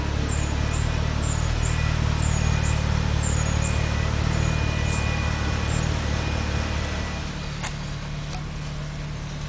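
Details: BMW 545 braking: sharp, high chirps repeat about twice a second over low road rumble, then fade as the car slows; brake squeal.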